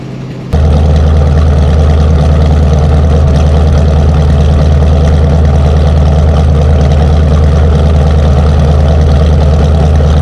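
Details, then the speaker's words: 1977 Ford F250 Camper Special, 460 V8, camera by the dual exhaust, cold start in snow; right after catching, a deep, steady, loud V8 burble settles into an even idle with no misses or ticks. "We'll listen to that 460, make some sweet music through them dual exhaust, and we'll fire it up and bring it down around here through the snow and pull up in here and put her in the pole barn."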